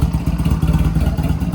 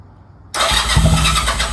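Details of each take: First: Honda Rebel 250 first run after sitting 27 years, choke fully up, neutral, weak battery, no fuel tank fitted yet: steady even idle with no knocks or rattles; sounds healthy. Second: Honda Rebel 250 first start after sitting 27 years, choke fully up, neutral: four cranking bursts of about two seconds, spinning steadily but not catching; owner thinks fuel needs to reach the engine.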